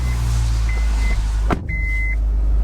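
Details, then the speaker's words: Old Toyota Prius or Honda Civic hybrid, over 10 years old, just started: low, smooth, even engine hum holds steady under a couple of short cabin chimes; idling normally. "Cranked up, you can hear it running."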